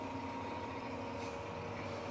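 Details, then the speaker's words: New Precision Matthews PM-1660TL lathe, first run before break-in, headstock in low range gear 1 at 36 rpm: quiet even low hum, faint steady gear tone, no knocks or rattles; nice and smooth, normal. "there it is it's nice and smooth i'm real happy with it"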